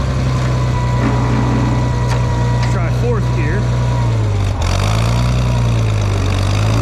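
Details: Farmall 460 tractor, rebuilt engine, after upgrading to electronic ignition, test run to charge the battery: steady low drone with an even beat and a brief dip near the end, running smoothly; owner suspects timing advance slightly off.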